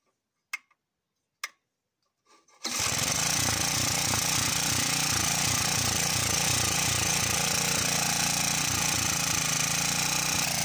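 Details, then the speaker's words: Cement mixer engine, given away, starts after a couple of pulls. Its speed then rises and falls about three times a second: governor hunting because it has no load, the mixer barrel not being driven. "so so you can hear that guys that she's running she's in here there the the governor doesn't know where to stay that is because she isn't under load"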